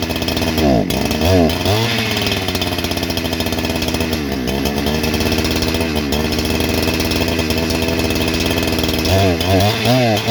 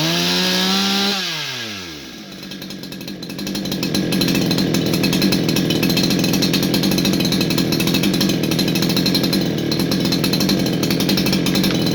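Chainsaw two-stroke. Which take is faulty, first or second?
first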